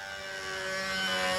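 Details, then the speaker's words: Small glow engine in a B-25 control-line model with a 220 venturi: a high, clean, steady scream at even pitch with no sag or burble, running just about right even on the first needle setting. "that's just about right even on the first needle setting"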